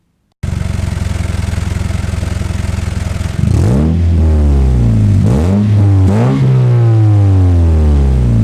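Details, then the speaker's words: Warmed-up car (Yaris build) with a new exhaust; quick even puffing tick at idle, then hard blips rising and falling as the exhaust blows at a cracked aluminium weld, not noticed while driving. Exhaust leak. "it does sound proper mad now it's all warmed up we've already collected we've already cracked the aluminium world so it does blow annoyingly but my god you don't notice it when you're driving along"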